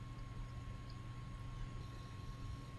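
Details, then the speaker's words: Dead PC that would not start and whose motherboard did not see the hard drive: the drive is powered up and switched on. An even low hum with a thin steady high whine, no clicks or scraping; the drive spins up normally. Power supply later found faulty. "Let's also power that up as well. Okay. Switch on. Start. I can hear the drive."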